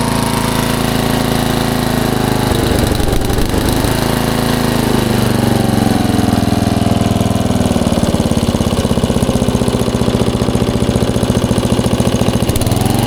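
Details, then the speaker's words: 1994 Troy-Bilt 34044 33-inch mulching walk-behind mower with Briggs & Stratton engine: steady engine speed with a hard, rapid clattering slap on every turn because the twin blades are out of time, likely after a blade change, and hit each other. "those blades obviously are not correct they hit each other on the way around so that's probably why they put it to the curb"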